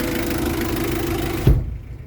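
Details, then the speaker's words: 2022 Mitsubishi L300 diesel manual pickup, about 3,000 km, first owner, idling: steady, even low diesel clatter with a stable rhythm, minimal vibration and no misses; healthy, smooth idle. "ya dia stabil terus getarannya juga walaupun diesel juga dia minim ya ya khas getaran mesin diesel"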